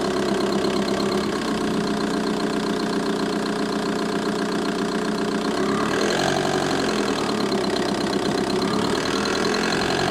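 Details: VW Bora 1.9 TDI diesel idling, with a steady, fast tick of about three or four a second over the clatter in the engine bay.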